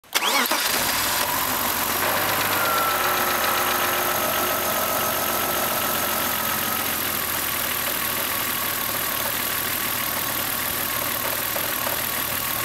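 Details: BMW M3 E36 3.0 shaking hard with a low, lumpy, wavering idle after an instrument cluster change. The new cluster doesn't pass the diff speed signal to the ECU, spoiling fuel tables. No fault codes; an ECU reset helped only briefly.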